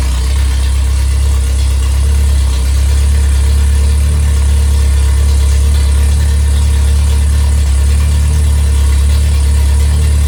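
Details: Rebuilt performance MG Midget/Triumph Spitfire 1500 engine with a shaved head, flat-top pistons, enlarged intake valves, 270 cam and balanced rotating assembly, revved slightly: steady, even note with no knocks, ticks or misses; normal running.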